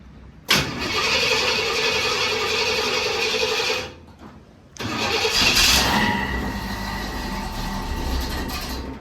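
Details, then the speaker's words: Classic muscle car's first start after 25+ years sitting, in park, choke not set, carburetor probably dried out: several seconds of steady cranking, a pause, more cranking before it catches. "Yeah, the carburetor's probably dried out though. So, it's going to take some cranking."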